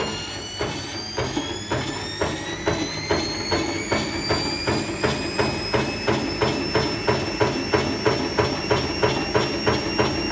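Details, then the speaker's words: Nidec washing machine motor fitted to Candy Grand'O Vita tumble dryer, voltage raised on a variac: steadily rising whine with regular slapping knock about three per second as the belt jumps off its pulley track; owner suspects motor set at wrong angle. "so what happened there well you heard the noise change the motor belt the belt jumped from over here to over here so i think i have this at the wrong angle or something"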